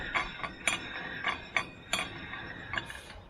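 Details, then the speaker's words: VW Scirocco race car coilover suspension: irregular sharp metallic clicks, roughly two a second, no engine running; ratcheting suspected from the coilover spacer, not confirmed. "the spacer is making that noise was dust little coilovers let take the spacer out and see what it does"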